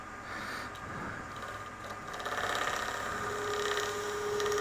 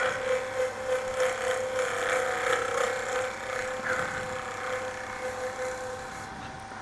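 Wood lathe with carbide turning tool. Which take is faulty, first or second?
first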